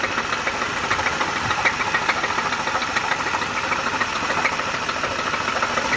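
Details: 3.8-litre supercharged petrol engine idling with a steady, sharp knock about three to four times a second: rod knock; it later would not turn over and needs a new engine.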